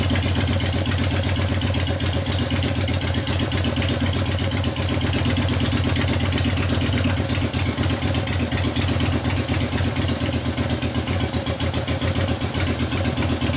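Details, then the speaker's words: 1970 Harley XLCH Ironhead Sportster rigid bobber, kickstart: loping V-twin beat at about four pulses a second that picks up cleanly on the throttle and settles back; normal running, with the low-speed carb circuit leaned out after warm-up. "sounds nice huh that concludes our test drive"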